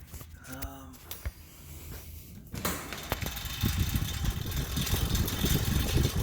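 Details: Newly assembled Assault AirBike Classic air fan bike: airy whoosh with an uneven, loose low rattle that gets very loud as pedalling speed rises; chain looks fine with no contact; tension and fan cage adjustments didn't help; one rear-left bolt stripped and stuck.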